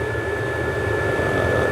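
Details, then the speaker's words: 5 kW stationary diesel heater, adjustable 1.6–5.5, running at full power, louder and hotter than owner's 2 kW unit in a Jumpy: steady even burner-and-fan roar, constant high fan note, no surging; healthy. "Donc c'est sûr, comparé à mon aux 2 kW que j'ai dans le jumpy euh là, on sent que ça ça chauffe dur, ça turbine"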